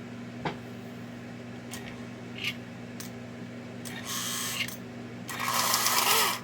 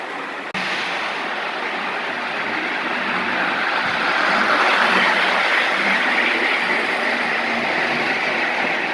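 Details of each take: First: Prewar Lionel 1666E model steam locomotive motor test run before restoration: steady low hum broken by rough, raspy high-pitched bursts; the E-unit cycles forward and reverse, but the motor is dry and needs oil. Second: Lionel gunmetal 1666E locomotive, run alongside an older loco pulling passenger cars: steady even whirr with light clicking near four beats a second, no stumbles; runs smoothly.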